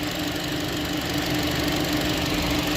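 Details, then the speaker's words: 2015 Chevy Cruze 1.4T, 68,000 miles, after replacing the valve cover/gasket with PCV valve to cure hissing, bucking and code P1101: even, steady idle with a faint constant hum and no hiss, surge or bucking; normal idle. "and we back in G to start it up and that noise should be gone no more hissing and this thing should act right it should idle smoothly a lot better whole lot better whole lot better"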